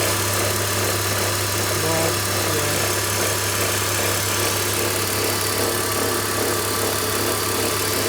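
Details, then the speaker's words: BMW X3, likely original water pump with play and a chattering belt tensioner: idling engine with a steady low hum and rough buzzing vibration from the belt drive that goes away when revved; vibration seems to carry to the alternator; worn water pump and tensioner. "So this is the sound that it's making. It's like a vibration noise. It goes away when you're revving up the engine. So I'm suspecting that it could be the water pump or the tensioner."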